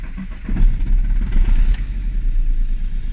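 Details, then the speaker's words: Audi A2 1.4 TDI, low fuel in tank, started using starting spray: diesel cranks about four seconds with rough, uneven churn before catching into a low idle; owner suspects a worn Pierburg tandem pump at 418,000 km; hard starting. "And first it won't start, but after about 4 seconds of starting, it should start."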